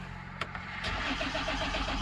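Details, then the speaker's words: 2015 Ford Taurus randomly won't start: steady cranking rhythm but never fires; no fuel at the front fuel line; fuel module relay, a common problem, suspected and swapped from a parts car. "so um you'll hear what it sounds like i'm gonna just try to start it just to make sure that we still have the problem"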